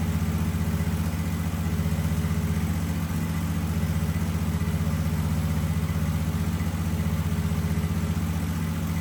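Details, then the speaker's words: Husqvarna 2554 riding mower (barn find) idling after fuel filter change: smooth steady low thrum, even beat, no skips or surging; slightly smoky, possibly from sitting and brake-clean cranking; running normally. "But hey guys, it runs. Sounds like it's running good. It was a little smoky, but hell, that might just be from sitting."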